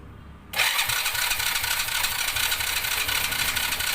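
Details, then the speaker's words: Honda Dream 100 motorcycle, freshly rebuilt engine: electric starter cranks with steady sluggish churning but never catches; test plug shows no spark on electric start, while kick start sparks and starts easily. Worn starter cranks too slowly. "เนี่ยเวลาเรากดตั๊ดมือแล้วทำไมไฟมันไม่ออกนะครับตรงนี้นะครับแต่มันก็เลยทำให้เครื่องยนต์เราไม่ติด"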